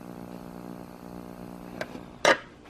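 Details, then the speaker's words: Radio Shack Concertmate 970 keyboard: a low, buzzy, distorted 60-cycle-like hum from the speakers on AC power, silent on batteries. Diodes checked fine and the AC adapter was replaced with no change; capacitors tested about 10% off. Cause not confirmed. "I brought this into the house to work on it and it's a lot quieter in here and you can really hear that sound that the speakers are making"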